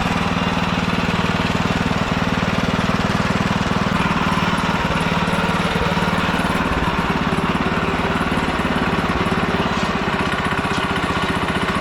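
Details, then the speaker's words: Old Ditch Witch C99 with a Wisconsin engine, oil bath air cleaner refitted, running on a smaller fixed-jet carburetor: steady, rapid single-cylinder thump about four per second, needing part choke to keep running. "because this carburetor is a fixed jet, and I can't just simply take the other adjustable jet and put it on this one because it's smaller. But yeah, it runs, it works for me the way it is for now."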